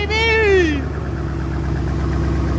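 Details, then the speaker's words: First start of freshly built Ford Coyote V8 on jack stands: after a shout, smooth even low idle with steady rumble, no ticking or knocking; sounds good, slight smoke from residue burning off. "Yeah, that's awesome. Sounds good, dude. Sounds good."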